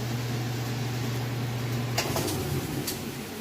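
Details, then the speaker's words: Kenmore washer on the final spin of a heavy jeans-and-towel load, at full speed: a steady, even low drum hum with no knocks or grinding. The spin cycle is normal and smooth. "and here we are final spin [Music] it's up to full blast right now it's nice and smooth"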